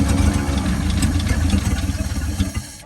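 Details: 1949 Ford F-5 flathead V8 truck, sat about 50 years, first start after diesel in the oil pan: lumpy, uneven chug about three beats a second, then fades out; seems low on compression, needs more throttle.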